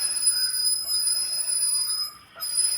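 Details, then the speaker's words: Mahindra KUV100 front brake, wheel turned by hand: steady, thin, high-pitched metallic squeal as the pad wear indicator plate scrapes the disc, showing worn-out brake pads. "അപ്പൊ ഇത് ഇങ്ങനെ ഒരു sound കേൾക്കുന്നത് കൂടുതലായിട്ടും brake pad തീർന്നിട്ട് അതിനകത്ത് ഒരു Messenger ഒരു പ്ലേറ്റ് പോലെ ഒരു മെസ്സഞ്ചർ വരും അത് ഡിസ്കിൽ തട്ടുമ്പോഴാണ് ആ ഒരു സൗണ്ട് കേൾക്കുന്നത്"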